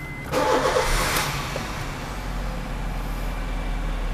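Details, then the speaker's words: 2013 Honda Jazz GE8 RS facelift automatic, 84,000 km: brief crank, quick catch and rev flare, then steady even idle with no rattles; all warning lights go out, diagnosis no fault; healthy start. "Bagus, ketika mesin hidup, indikator cek engine, tekanan oli, aki, airbag, ABS semuanya mati. Itu tandanya kelistrikannya normal."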